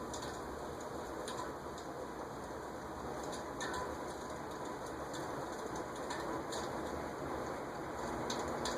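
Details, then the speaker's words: Cast-iron Venton (VEC) industrial ceiling fan, possibly 1970s or earlier, running with airy whoosh and faint high ticks; long-unused stiff dry bearings, expected to quiet after extended running without oil. "definitely making some bearing noise nothing again nothing that indicates that I need to break out the oil or WD40 it's just well if I let it run for long enough it'll stop"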